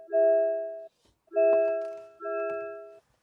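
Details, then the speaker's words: MG ZS EV before comfort update: steady repeating two-tone bong about once a second, constant reminder to take the key after the driver gets out. "off by pressing pressing disable and so yes it constantly bombs if you get out and leave your key in the car"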